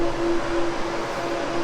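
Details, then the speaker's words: 1965 Chevy Nova wagon delivery that overheated, electric cooling fans rewired through a relay fed directly from the battery, key on: steady even whoosh of air with low constant hum, no rattle or pitch wobble; both fans running normally after the fix. "thing's moving some air oh yeah [Music] I think we're in business now"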